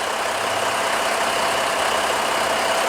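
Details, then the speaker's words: Heavy duty truck diesel restarted after DIY fuel filter change and priming air out of fuel lines; settles into steady idle with even clatter, no stumbling or hunting. Normal idle. "Now let's see if we can crank her over. Looking and sounding good. It sure is."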